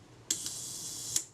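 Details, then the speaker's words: Voigtlander Perkeo I Prontor-S shutter after service (corroded blades polished, speed cam lubricated with molybdenum paste) set to 1 second: sharp click, steady high timing-gear buzz for nearly a second, closing click; normal 1 s speed. "At 1 second I think should be about here. Yeah, there."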